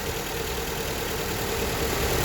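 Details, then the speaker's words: Honda Accord petrol engine idling with heavy shaking and an uneven, lumpy rumble; pulling coils shows no change on cylinders 1 and 2, so those cylinders aren't firing and cause the misfire. "Still the same shaking. It means this one doesn't work."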